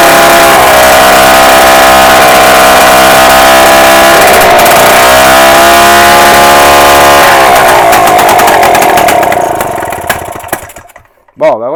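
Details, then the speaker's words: Solex (Cyclogalet) moped engine after a bottom-end rebuild fixing an air leak, spun up with a drill on the bench; strong even buzzing drone revs freely, holds pitch and winds down, no knocks or suspicious noises; normal free-revving engine. "voyez déjà il prend beaucoup mieux ses tours ça c'est certain il y a pas de bruit suspect donc il y a pas de souci"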